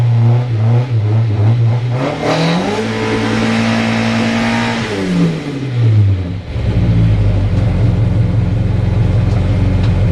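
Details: Mazda MX5 at Loton Park hillclimb, 72.43 run, after engine problem sorted: revs climb cleanly, dip at each shift and rise again, smooth and even, no misses or knocks; healthy at full throttle.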